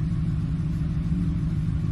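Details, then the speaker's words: 2007 Ford F-150 5.4L 3-valve V8 at idle with cylinder 2 dead misfire (P0302), later traced to a loose spark plug: deep, lumpy rumble with an uneven pulse, fuel smell, exhaust manifold tick heard earlier. "so you can see right now it's doing it constantly it's getting deeper you can see that's a dead misfire it's pretty bad smell of fuel and everything"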